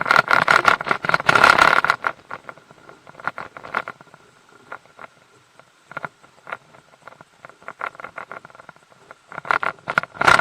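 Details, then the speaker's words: Mercury 150 HP outboard in gear: uneven bursts of sharp rattling and knocking clicks, about three per second. This is prop chatter from a loose propeller torqued to only 40 ft-lb against a 55 ft-lb spec; fixed by tightening it to 60 ft-lb. "it's when the propellers loose on there and when you put it in gear it rattles and knocks"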